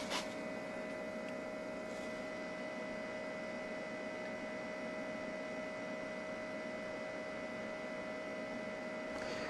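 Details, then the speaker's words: ALLPOWERS S2000 Pro power station (1500Wh, 2400W): a steady, airy fan rush with a fixed mid-pitched hum and no rattles or ticks. The cooling fan appears to be at its maximum speed, which is normal. "Je crois que c'est son max en ventilation, en bruit de ventilation"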